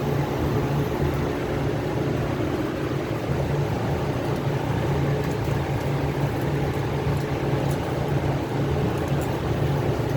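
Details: Copeland compressor making noise and cutting off, fan staying on: steady low drone with a pulsing rattle riding on the hum; compressor sounds rough, cause unknown.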